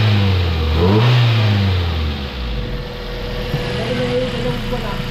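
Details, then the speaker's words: Mazda 3 petrol engine with a long-running misfire; spark plugs, fuel filter and fuel pump had already been replaced. After basic maintenance it revs up and settles smoothly with no more exhaust popping or misfire. "tingnan natin kung wala na oh tahimik na oh wala na yung Kit aircon"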